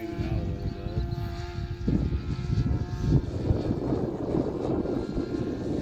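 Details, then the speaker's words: Rebuilt Sig Kougar RC model plane on its maiden flight: high buzzing engine holds a tone, then pitch drops and turns rough as it sags running lean. "I've already reduced the race off of the first place about 70% now. But now it's sagging cuz it's leaning"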